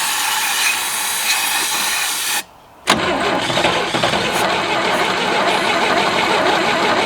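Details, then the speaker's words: 1967 GMC C20 with a 305 V6, sitting at least 7 years and previously stuck: long cranking with ragged firing, sputtering on starting fluid without settling to idle. Owner suspects sticky valves and a plugged exhaust. "well that was some progress hey we made a fire I think we probably have some sticky valves"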